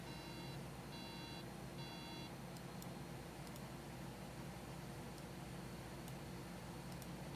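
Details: Apple MacBook logic board 820-3330 under repair: three short high beeps repeating at steady pace over quiet hum, then stop; power-on beep code.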